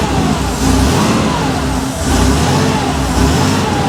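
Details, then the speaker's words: Rebuilt Porsche 911 3.2 Carrera flat-six on test stand with Monty muffler, second or third start: smooth, even rev rising and settling cleanly with a steady deep exhaust note and no knocks or rattles; normal revving. "That Monty muffler sounds fantastic. It's got a little bit of a note to it, but it's not obnoxious at all. That's just the perfect level of noise."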